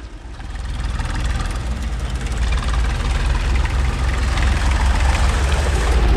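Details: Tractor diesel (533) started after its filter cartridge was replaced: engine catches and settles into a deep, steady chug that grows firmer and even; healthy idle, noticeably better than before.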